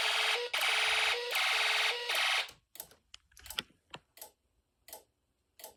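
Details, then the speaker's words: Snap Circuits DIY fire alarm system test: loud pulsing alarm tone in half-second bursts for a couple of seconds, then scattered clicks; the sounder works normally. "Yep. So it's kind of loud."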